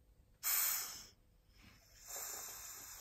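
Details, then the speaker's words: Husqvarna 236 chainsaw crankcase pressure test with compressor, ports blocked: sharp steady hiss in two long bursts, air escaping near flywheel; suspected worn flywheel-side crankshaft oil seal, bearings also faulty; crankcase air leak. "guess you can hear that, air slips out somewhere around the flywheel. I'm going to remove some parts, most likely it's the oil seal the one that's not working anymore."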